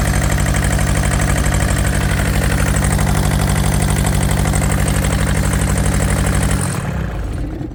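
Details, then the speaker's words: Yanmar TK486 4-cylinder diesel, throttle low: lumpy, uneven idle missing half its beats, then dies away after the solenoid wire is pulled; two front injector lines loose and leaking, so probably only the back two cylinders fire. "So there is an explanation of why I thought it sounded like it was missing. We've got these two front cylinders unhooked. So we were probably running on just the back two."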